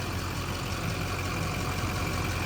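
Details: Silverado Duramax 6.6 diesel 4x4 after Hurricane Helene salt-water storm surge, idling during a leak check: steady even smooth low rumble, no knocks, ticks or misses. Engine running healthy.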